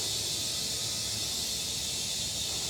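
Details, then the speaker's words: Tubeless motorcycle tyre with a screw in it, inflated to about 40 psi for plugging: constant high-pitched hiss of escaping air, steady and unbroken; puncture leaking air. "for the purposes of plugging it. All right. And I can already hear it hissing."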